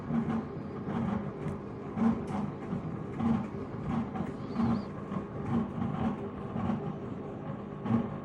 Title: Strange noise when washing